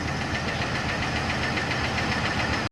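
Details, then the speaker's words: 2007 Chevrolet Trailblazer LT V8, 119,000 miles, idling: fast, even light ticking over steady idle; collapsed lifter tick, though seller had been told it was rod knock. "you wanna crank it up real quick and we'll just let them listen to the lifter tick that horrible"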